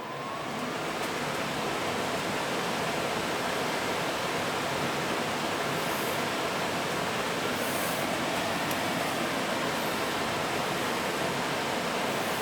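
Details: Gas furnace after its flame sensor was cleaned: a steady, even rushing roar of burner and blower with no knocks or rattles after a short fan delay; firing and running normally.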